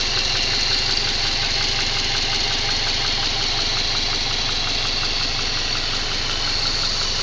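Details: Subaru EJ204 engine after installing a used (contract) engine: steady idle with regular light tapping about three knocks a second; internal engine knock, cause not pinned down.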